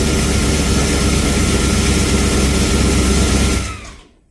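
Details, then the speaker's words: Ford Falcon XB hardtop restoration after rewiring, run briefly with no coolant, slight sump bolt oil leak, earlier noise gone: strong even roar without knocks or ticks, winds down smoothly at shutdown; normal idle. "I'm the motor sounds freaking mint now."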